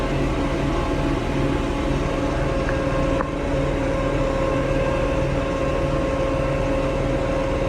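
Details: Diesel tractor that went into limp mode, capped at 1500 rpm instead of 2500, and stalled: loud drone with an uneven, stumbling beat and steady whine. Rough running from water in the fuel, found in strainer and water separator.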